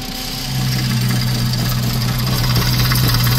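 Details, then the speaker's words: VW 2.5 idling with the oil cap off and debris found inside: steady low drone with a loose, uneven knock of about three or four a second on top; engine knocking, cause not determined. "Seen anything like this? It's like knocking or banging or something."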